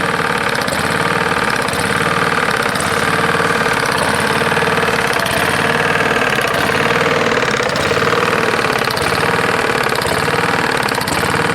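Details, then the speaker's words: Roadside-found Lawn-Boy mower, 149 cc non-OHV engine, dirty oil, running: sharp metallic tapping over a steady buzz; owner can't tell if it's rod knock or something else; cause unknown. "yeah i can't tell that's a rod knock or if something else is screwing up on it"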